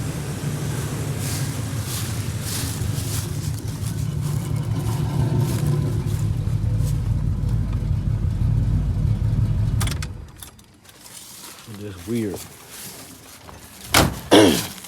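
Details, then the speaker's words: Pontiac Grand Prix G-body with cammed 305 small-block Chevy after new plug wires: lumpy uneven idle with irregular stumble, shaking felt in steering wheel at stops; random misfire on one cylinder, then it cuts out. "weird and the still drives good like that the engine just shaking bad like something is wrong and it feels like it's missing"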